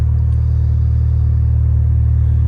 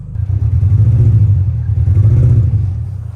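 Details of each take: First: Mini Cooper cold start the next morning after limp mode the night before; steady, even low rumble with no knocks, misses or rattles, running totally fine, though the owner expects limp mode to return after a restart. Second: Mini Cooper in limp mode after a restart; near-perfect idle with a very slight waver, and the engine revs up cleanly and smoothly with a deep note and no misfire or stumble, so the cause remains unclear.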